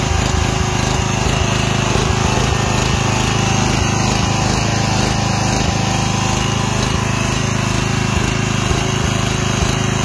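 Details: Westwood T1200 tractor after engine swap with replacement carburetor: single-cylinder engine steady at idle, surges and dips rhythmically when revved, governor hunting at higher speed.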